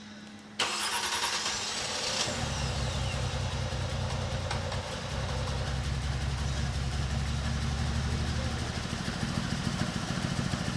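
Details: Car long barely driven and just revived, mic placed at the car: cranks briefly, catches quickly and settles into a steady, evenly firing idle with no stalling or stumbling; normal start and idle.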